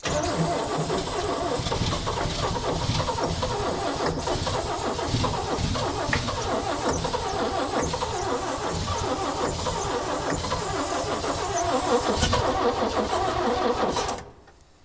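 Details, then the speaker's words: 1965 Chevy rollback truck with rusted cylinders, corroded pistons and rusted valves, oil poured into cylinders: starter turns the engine slowly and heavily, uneven about three turns a second, without firing; oil in cylinders resisting compression. "She still got a little bit of that oil in them cylinders she's trying to compress."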